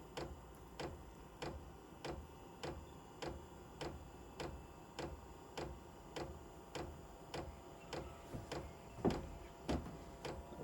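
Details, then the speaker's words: VEVOR 5 kW 12V diesel heater at startup, not going into prime mode before the fan. Sharp, evenly spaced ticks about every two-thirds of a second over a quiet hum; the dosing pump's metal striking metal inside its cylinder, normal. "you hear that that's the fuel pump if you remember what i was showing y'all how it works that cylinder that's why it makes that thump thump thump because every time it pumps it that metal is hitting metal inside that pump"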